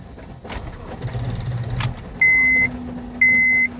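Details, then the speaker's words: Honda Civic that sat in the garage, after cleaning corroded battery terminals, key turned: rapid clicking with low buzz, flickering dash lights, engine never cranks; battery discharged, recharging later let it start; no start, starter clicking. "It still won’t start. Since the car has been sitting in the garage for a while, I think I should recharge the battery first."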